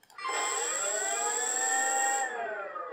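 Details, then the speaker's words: ArduPlane quadplane VTOL lift motor D tested free of obstruction: smooth steady high whine with even overtones, no rubbing or ticking, spins in the correct direction; normal motor spin-up. "also spins in the correct direction"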